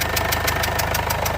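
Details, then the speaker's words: 2015 Mercedes CLA 220d diesel at idle with engine light on and reported misfire: sharp rhythmic puff about six times a second from the rear of the engine, seen as a leaking injector. Injector seal compression leak. "but the there is definitely a sort of a puffing noise coming from the engine somewhere at the back oh you can definitely hear it look that's definitely a puffy ooo look at that I think it's an injector I might be wrong I looks like one of the injectors is leaking in quite"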